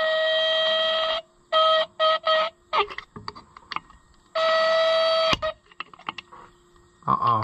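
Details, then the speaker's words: Original horn on a Fiat tractor, under repair and bench-tested on a battery: thin, reedy bursts that cut in and out, weak rather than a full blare; a low battery or damage during the fix is suspected, not confirmed. "I might have broke it surely my battery's not too low is it that sounds like a dying unicorn"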